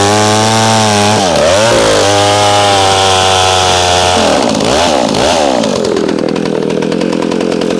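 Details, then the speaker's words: McCulloch SP-125 chainsaw jetted two sizes down to a .028 jet, cutting: high buzzy two-stroke scream sags and surges through the cut, then races thin off load; leans out after long cuts, possibly warming and vapor locking, suspected. "Just feels like she leans out after a long cut. And we're not burning that saw."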